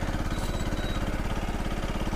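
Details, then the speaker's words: CFMoto Fashion 250cc scooter after a valve job, valve adjustment and better oil, side cover off, cold: single idling with a fast, even low chuff and a faint light knock on each firing stroke. Small engine knock at idle, source unknown. "it definitely has a small engine knock but i got it to take throttle"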